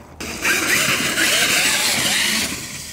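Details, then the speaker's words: Traxxas X-Maxx 8S electric RC truck spinning up with a harsh, gritty hiss-grind. The bearings are rough because the truck was driven into a lake and the bearings were never cleaned. "y the bearing sounds so bad oh that sounds rough yeah I think uh like I said we drove in the lake and we drowned it and I did not claim the disc or the bearings so sounds pretty rough"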